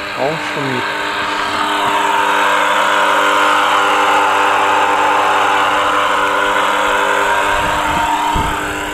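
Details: Pool circulation pump/filter suddenly noisy: loud steady hum under a rough, gritty crackle as the loose impeller shifts axially on its shaft, before disassembly.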